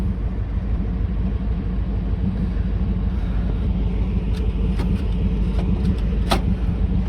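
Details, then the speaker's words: 1970 Chevrolet C20 350 V8, first start in 20 years after freeing a stuck engine: rough, uneven rumble that won't settle, needs adjusting; fuel looked bad, massive vacuum leak noted. "oh she is rough all right we're gonna have to adjust that kill it"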